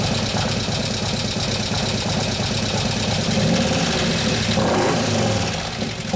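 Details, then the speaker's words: 2015 Harley-Davidson Road Glide FLH, 103ci Twin Cam, after camshaft install and new oil pump: loose rapid ticking over lumpy idle, speeding slightly with throttle; lifters haven't pumped up yet, taking unusually long. "after that sometimes they take a while to pump up but this is getting ridiculous on timeframe"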